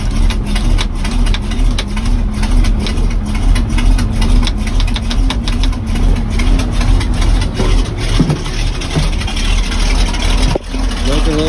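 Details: Truck rated to haul 26,000 lb, cold start at about 60°F after sitting, fuel pumped, out of gear, choke on, started without a jump: deep steady idle, slightly uneven at first then smoother; normal cold idle on choke.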